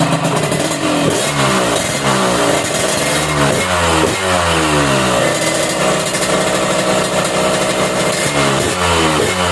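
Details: Yamaha RX King two-stroke, carburetor air screw set half a turn out from closed, listening at the exhaust: revs climb and fall sharply on throttle blips with crackly exhaust; mixture being tuned by ear, uneven throttle response.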